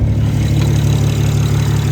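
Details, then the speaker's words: BMW 335xi after a head gasket replacement with an Athena cut-ring gasket, just started, snowing: a deep, steady, even idle with no knocks, ticks or misses. The engine sounds healthy. "All right, guys, she's running. She sounds good."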